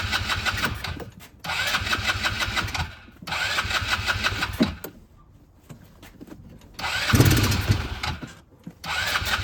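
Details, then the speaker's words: 2010 Polaris Ranger RZR 170, sat for years, no fuel from carburetor, airbox off: catches in short uneven bursts only on sprayed carb cleaner then stumbles out; fuel supply problem suspected; runs only on sprayed fuel, then dies. "does run and it runs a little bit funny I'm guessing it's cuz the airbox is not on there and it does throw some smoke but it doesn't smell like burned oil it smells like old fuel"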